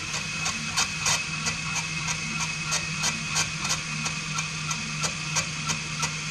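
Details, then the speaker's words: Valve being lapped into its seat with a drill on an Allis Chalmers WC 3.3L four-cylinder cylinder head during rebuild; steady drill whine with gritty scrapes about three per second, with direction alternated. "I think that's too fast you can hear it grinding itself in other way go the other way"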